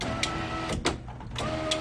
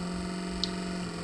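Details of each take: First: Nissan Figaro power window after fitting a 300ZX replacement window motor: even motor hum for a few seconds, then a clean stop with a soft thunk; window travels smoothly and works properly. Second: Old failed Nissan Figaro window motor bench-tested on 12 V from a car battery: steady low hum that is slow to get up to speed and runs real slow; sluggish motor, replaced with a 300ZX motor that is much faster and quieter.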